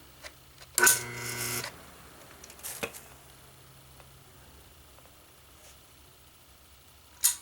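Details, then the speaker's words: 1976 WCI White Westinghouse front-load washer motor Q174461 (5300603181), 3-belt type: loud buzzing hum under a second as the start winding draws heavy current, then a click as the centrifugal switch drops it out; normal. "That's the start winding. So, it has a start winding. draws gobs of current till it gets up to speed and the centrifugal clutch pulls it out."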